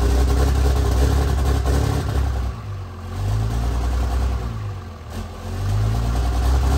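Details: Freshly installed 1500hp Cummins diesel, run without coolant, cam break-in sweeping about 1000–2000 rpm during hot re-torque: deep drone held at high idle, swept down and back up, even, no knocks or rattles. Normal high idle.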